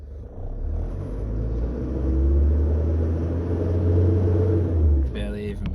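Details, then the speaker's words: Isuzu Rodeo/Amigo 3.0 TDI 4JH1-TC at wide open throttle: low flat drone barely climbing, slow to respond, barely reaching 3 thousand rpm; loss of power from oil-contaminated mass air flow sensor, replaced with new one. "appears as normal, but very slow to respond, so I'll go wide open throttle."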